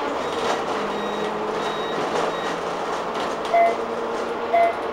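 Over road and cabin rumble, short mid-pitched beeps sound about once a second, the indicator warning working as it should.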